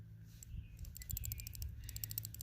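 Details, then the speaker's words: M1 .30 Carbine bolt being shaken, checked for light primer strikes. Quick light metallic clicks come from the one-piece free-floating firing pin sliding back and forth in its channel, a normal rattle. "the firing pin in there sliding back and forth"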